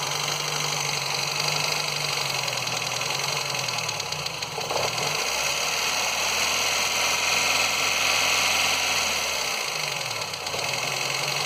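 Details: Ford Fiesta Endura engine: rough idle with fast uneven ticking over the engine hum and a pitch that sags and recovers; cause unclear.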